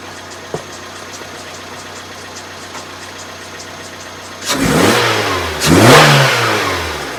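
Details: 2010 Vauxhall Zafira 1.8 petrol, about 140,000 miles: faint irregular tick at idle, then rev blips with a rubbing knock; first sounded like rod knock, owner now suspects the water pump and possibly the timing belt tensioner or dampener, unconfirmed.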